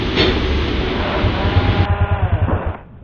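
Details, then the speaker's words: Flood-soaked small motorcycle after spark plug replacement: strong spark, but engine runs rough, drowns and stalls when throttle is opened; water in air cleaner or carburetor suspected. "Okay po iyung ating spark plug. Malakas ang kuryente. Kaso nga lang pagka bibigyan na natin ng gas o ibikit natin iyung throttle eh nalulunod siya at namamatay."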